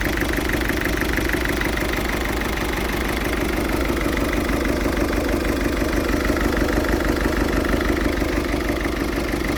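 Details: Ford Fiesta 1.6 TDCi diesel with a rough idle: a steady clatter with an uneven throbbing pulse about three times a second. It still smokes acrid when revved.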